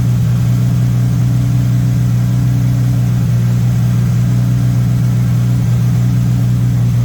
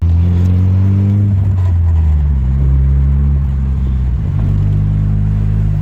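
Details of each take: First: MK1 VW Rabbit with Weber 32/36 carburetor, no choke hooked up: fast, even idle, steady drone, no misfires; carb idle screw set too high, owner suspects an audible vacuum leak, later set to about 1100-1200 rpm. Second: MK1 VW Rabbit with Weber 32/36 carburetor after about 20 minutes of carb adjustment: deep, steady engine rumble rising and settling smoothly with throttle, no surging or hunting; drives smoothly again, though still leaking oil badly.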